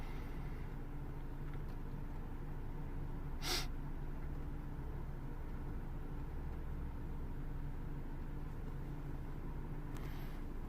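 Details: Ford Focus 1.6 petrol after fixing high, fluctuating lean idle: steady even low hum, rpm on target, fuel trims dropping toward normal; smooth settled idle.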